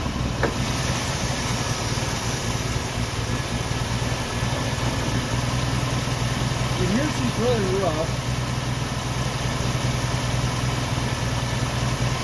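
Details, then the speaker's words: 1990 Jeep Wrangler, carbureted, restarted after a few days sitting, following fuel tank installation and carb tuning: low, lumpy idle with an irregular beat around two per second, stumbling and struggling to keep running; rough idle. "it was a little bit rough and it would just a fight to keep that keep the thing g"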